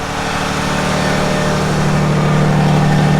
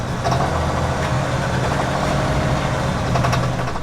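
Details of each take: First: 2019 RAM 3500 High Output Cummins diesel, checked after 600 miles on bad diesel: smooth even idle rising to high idle, hydraulic lash adjuster ticking gone; engine sounds clean and healthy. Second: 2019 RAM 3500 Limited Mega Cab High Output Cummins diesel at idle on pickup after 600 miles on contaminated fuel: heavy uneven, labouring clatter with wavering beat and audible hydraulic lash adjusters; rough idle from bad diesel, now runs clean.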